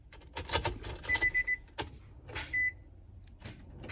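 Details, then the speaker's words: 2003 Nissan Altima 3.5 SE automatic with a failing starter: sharp single clicks from the starter with no cranking, intermittent, sometimes catching after a few tries; the starter is being replaced. "Just a clicking. Watch. See? Oops. See? And the sound is coming from the starter."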